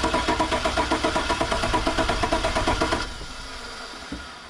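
Steady starter cranking around three turns a second for three seconds, no catch or firing, then it stops: cranks but won't start.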